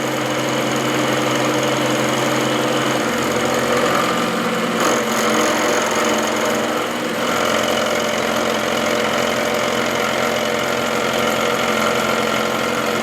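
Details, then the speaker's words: Milling a new half nut to replace a worn part on a Hamilton 6" metal lathe: a sharp cutter in soft material, taking about 50 per pass. An even, steady hum with no chatter or squeal. A smooth cut. "this is a good sharp cutter I could probably take 100 at a time if I really wanted to but this is good I'm getting a nice smooth cut so I'd rather take my time and do a few passes rather than push it"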